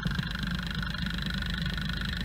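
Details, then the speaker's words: Ford Fiesta with gasoline direct injection, overfueling, rail pressure decaying between injections, unstable idle: through accelerometer stethoscope injector 2 gives a dull, muffled tick versus crisp injector 1, pointing to a mechanically sticking injector. "was injector number 2, which is certainly not as crisp as number 1."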